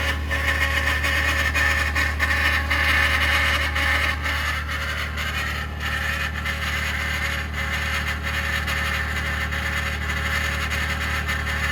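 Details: 2021 Ford F150 PowerBoost hybrid, remote cold start at -16°C (noise only below about -11°C): loud steady rough whirring with gritty mid-pitched roar, easing slightly, after a click; cavitating or grinding of unknown cause, possibly something pumping.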